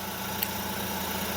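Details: Suzuki DA63T with K6A engine after fitting alternator belt and tensioner bearing, alternator checked good: smooth, even idle hum, no squeal, chirp or knock from belt or alternator; healthy.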